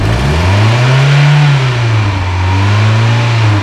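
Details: Mazda Miata barn find started after sitting; showed 30 psi while cranking. Engine revs with a smooth, even rise and fall in pitch, no knocks or misses. Normal, healthy rev.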